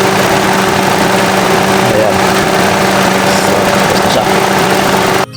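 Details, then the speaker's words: After serpentine belt replacement, engine idling with AC compressor clutch engaged: steady even idle and low hum, no squeal or chirp. "So ayan clutch na. Okay na yan. Tapos testing natin 'yung compressor."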